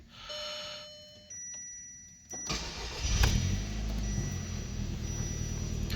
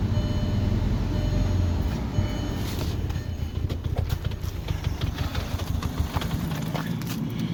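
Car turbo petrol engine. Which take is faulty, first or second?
second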